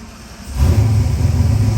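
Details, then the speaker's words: Ford 351W-based 427ci stroker V8 for 1969 Mach 1 Mustang, Holley Sniper EFI, on dyno: instant start into deep, steady, even rumble, settling to 850–900 rpm target idle; about 160°F, oil pressure 60s, AFRs good. "Of course, it fires up beautifully, and then it's going to come down to its target RPM. About 850, 900. Beautiful."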